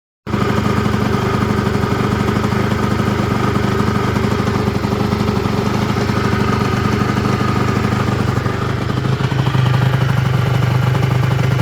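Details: Peugeot Ludix/Speedfight two-stroke engine after rebuild: uneven, crackly pop-pop beat around three per second with a ragged note; popping or misfiring, cause not confirmed.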